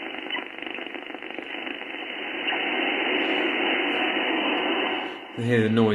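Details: HF receiver, no shack earth, radio on a Mosley three-element beam: a steady rushing hiss fills the band and swells midway, raising the noise floor; interference noise of unknown origin.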